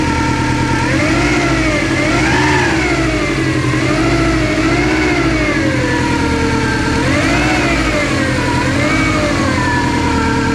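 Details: Subaru Impreza GT engine being revved: a clear whine from the front of the engine rises and falls with each throttle blip. Owner rules out alternator and power steering pump and suspects the timing belt or a pulley.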